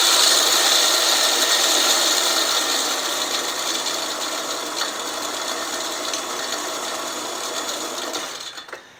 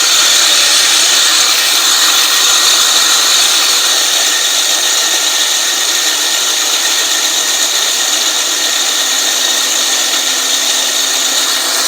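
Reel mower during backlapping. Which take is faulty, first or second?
second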